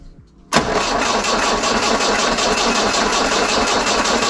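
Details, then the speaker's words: 1968 Datsun 510 cranking after new spark plugs and new fuel pump fitted, healthy battery: steady even starter whir, engine turns over but never fires; owner suspects new fuel pump still priming, cause unconfirmed. "huh not working obviously feeling it How Bizarre healthy battery well it was probably not gonna be now might take a little while for the new fuel pump to Prime"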